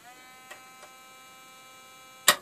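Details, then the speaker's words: Keithley 104 wideband amplifier on the bench with a faint, steady electrical buzz and light clicks; the source is not tracked down, and the owner thinks it may be normal, possibly from a transistor. "I need to track down that buzz might be nature of the beast"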